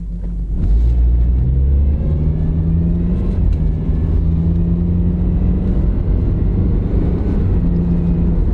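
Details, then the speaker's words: Honda CR-V front-wheel drive with poor city gas mileage, pulling from a stop: steady engine drone holds second gear too long before a late 2-3 upshift; 1-2 shift fine, not sticking, hurting stop-and-go mileage. "it's staying in second gear a little bit too long and of course that's going to knock your gas mileage down downshifting okay it's not like it's sticking but goes first to second good but second to third is really staying in gear a little bit too long"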